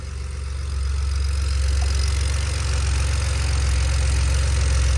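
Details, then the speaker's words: BMW 335i after a vacuum pump replacement, owner unsure the timing is right: smooth, even idle with a steady low rumble settling as it warms, no ticking, chirping or squeal; sounds healthy. "yo this should sounds way better bro that just sounds like a car"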